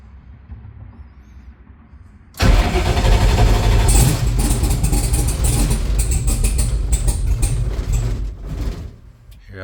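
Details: Drag car, V8, after fixing starter wiring and checking the ground with no voltage drop: quiet, then quick even churning crank about three and a half turns a second, healthy starter; needs throttle to start; normal starter cranking.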